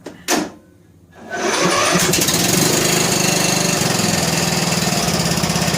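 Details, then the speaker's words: John Deere L100 lawn tractor, after valve adjustment (intake and exhaust were loose), choked, weak charging battery: one cough, a pause, then catches and settles into a steady, even putter with no knocking or misses. "I don't know what it sounds like on the video. But it sounds pretty good. Sounds pretty good."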